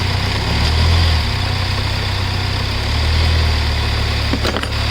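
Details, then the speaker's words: Hyundai Verna diesel (Fluidic) after a cranking-but-no-start fix, running with the battery wire removed to check charging; steady, even diesel clatter and smooth low drone, no knocks or misses. Normal diesel idle. "இப்போ பார்த்திங்கன்னா remove பண்ணிட்டாலும் இப்போ வண்டி வந்து ஸ்டார்ட்டில் தான் இருக்குது."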